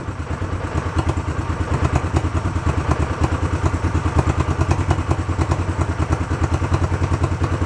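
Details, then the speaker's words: Barn-find 1971 Honda CB350 twin, previously seized with bad carbs now sorted, sat an hour or so, not cold, started without choke; steady even thumping idle with no misses or knocks, starts nice. "I can live with that starts nice"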